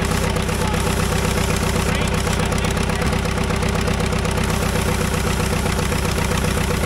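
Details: Caterpillar dozer diesel, parked since 1992, after a stubborn start: strong steady idle about four beats a second, no misses or surging; normal idle, runs pretty good now.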